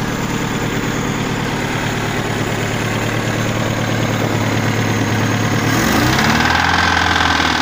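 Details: Volga ZMZ 402 engine: steady idle, then above about 1500 rpm a sharp knock rising with speed; connecting rod knock traced to a loose spring nut.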